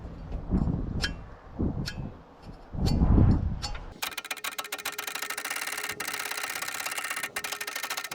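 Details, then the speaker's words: Long-dormant, rust-seized turbo Ford 6.9 IDI diesel soaked with penetrating oil and turned on the starter. Heavy, uneven thumps as it is forced over, then a quick, even churn; it is starting to free up. "I think that was a little bit of progress I watched this fin go from about here to about here"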